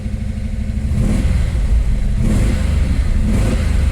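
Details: Dodge Challenger 440 Six Pack V8 with an 833 4-speed manual: deep, even rumble through three quick throttle blips with no knocks or rattles, the whole car shaking; the owner hears a slight thumpy rumble.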